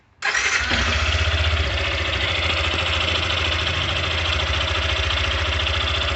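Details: Small single-cylinder engine (Factor 150 motorcycle) fires up and settles into steady idle with a busy mechanical rattle over it; abnormal internal engine noise, source unclear.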